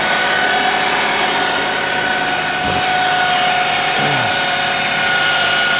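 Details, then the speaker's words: 2007 Chevy Cobalt 2.2L Ecotec idling after water pump replacement: thin steady high whine from the drive belt area, present before the repair too; tensioner or loose belt suspected, harmonic balancer possibly off. "I don't know if you noticed that whining, but it was making that noise before I did the water pump, and it sounds like it's coming from the drive belt over there. It sounds like it might be the tensioner or maybe a loose belt."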